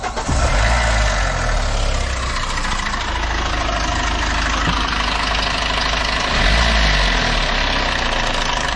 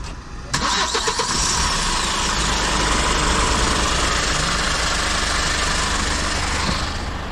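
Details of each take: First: Hyundai H100 CRDi pickup diesel at 215,268 km, idling: loud busy metallic rattle and clatter over the engine beat; timing chain rattle. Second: Hyundai H100 CRDi diesel pickup, 215,268 km, after replacing a loudly rattling timing chain: cranks and catches within a second, then settles into an even, steady idle with no chain rattle; sounds healthy.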